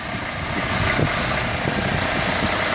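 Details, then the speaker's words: 1997 Mercedes-Benz C180 W202 1.8 L four-cylinder, automatic, 93,000 miles, one owner, just started in 90° weather, under hood: smooth even idle under 1,000 rpm with no lifter tick, knock or ping; normal. "there's no valve lash t, you know, lifter tick, no knocks, no ping. This is This is what right looks and sounds like."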